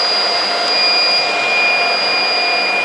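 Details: Supermicro 2U server, bottom server in the rack, around power supply replacement: steady, even rush of fan air with faint constant high tones and no surging or rattles; normal running.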